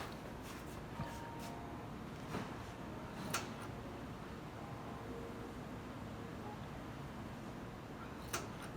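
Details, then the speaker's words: Dimplex Nicole electric fireplace, heating element off: occasional sharp little clicks over a soft motor hum, first suspected as the motor or thermocouple, traced to the rotating flame effect rotor rubbing. "that little click what I at first thought it was was the motor and then I thought it was a thermocouple which like turns and turns off I guess like the heating element but the heating elements off"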